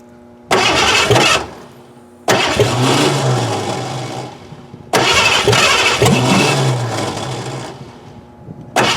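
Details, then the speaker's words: 1988 Ford Crown Victoria that sat about 5 years, after cleaning the corroded distributor cap and fitting a battery on a charger: several long bursts of steady cranking with pauses, and it never fires. Fuel is to be checked next. "we cleaned the distri RoR cap we put a battery in it we have the charger onto it it still does not want to fire"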